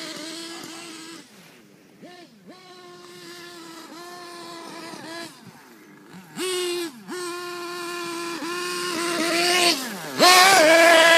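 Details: HPI Pulse RC car's tiny nitro engine running on 25% HPI nitro fuel: high-pitched note stutters, sags and cuts out with constant pops and splutters, a misfire the owner says isn't fuelling-related.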